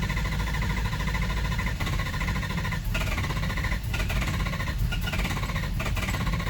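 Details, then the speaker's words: Ford 7.3 Powerstroke diesel, hot no-start, engine oil pressure shown, something disconnected for test: starter churns fast and even but never fires; owner deduces high-pressure oil system not making pressure, unconfirmed. "And since we're still not starting, we can only deduce at this point in time that we must not be getting our high engine oil pressure, high pressure oil must not be getting to what it needs to be getting to."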